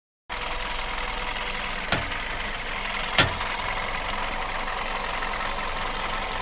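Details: VW Golf Plus, turning the steering wheel at standstill with engine idling: a couple of sharp single knocks a second or so apart as the wheel turns; knock in the steering or front suspension.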